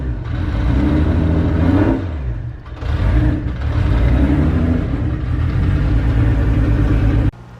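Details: Nissan 240 with freshly swapped 1J engine, first start after reconnecting a missed ground: catches and revs with uneven lumpy beat, wavering speed, stumbling throughout; bad misfire, owner unsure of cause, later suspects old fuel, then it cleared.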